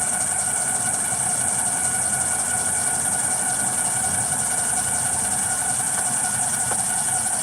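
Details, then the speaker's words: 2013 Ford F-150 3.7L after recent water pump, alternator and belt replacement, returning with heater hose coolant leak: steady idle with constant harsh whine and hiss from belt drive; suspected failing pulley, belt sounds about to break. "Sounds like it could be a dinker pulley going bad with it."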